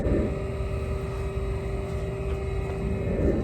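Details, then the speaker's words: Trane XR95 gas furnace: constant hum with a loud, steady mid-pitched whine from the worn inducer motor, which is to be replaced. "I'm not sure if you can hear how loud that is on the audio, but we're going to try to fix that."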